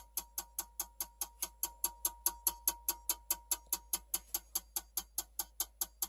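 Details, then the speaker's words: Dell Optiplex 3020 fitted with a 450W HP power supply for a Radeon HD 7790, orange light on: sharp, even clicks about two per second continuing after power is shut off, like a relay chattering; cause suspected to be the power supply, not confirmed. "but let's shut it off now it's still going from the power is shut off"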